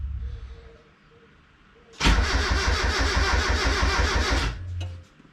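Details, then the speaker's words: Turbo Miata after clutch and flywheel install, first start attempt: starter spins the engine about three beats a second for two seconds with no catch, reading lean; fuel feed and return lines were crossed, pushing against the fuel pressure regulator diaphragm. "All right, so it turns out that I had the fuel lines crossed. I had the return and the feed and the feed and the return, so it was just pushing against the diaphragm on the fuel pressure regulator."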